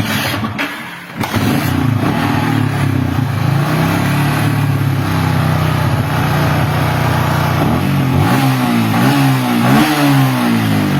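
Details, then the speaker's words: Yamaha Vixion after replacing a 4-pin part with a cheap local Mio J-type one, meter on battery reading about 13 V: steady idle then clean quick throttle blips, no sputter; charging fixed, normal revving. "sekarang udah mantap nih Nah 13 kita blayar nah udah mantap teman-teman"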